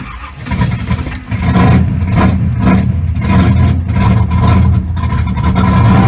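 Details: 1983 Camaro started right after new fan belt and power steering belt were fitted to cure a squeak: engine settles into a steady, even low rumble with no belt squeal or chirp; the squeak problem is solved.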